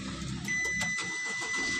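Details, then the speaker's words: Nissan Dayz Roox with intermittent push-start switch and no crank/no start, after replacing blown check-light fuse; brief crank with steady chime, then catches and runs evenly, starts cleanly, problem solved. "यह गाड़ी start हो गई है माशाला हमारा मसला भी हल हो गया है"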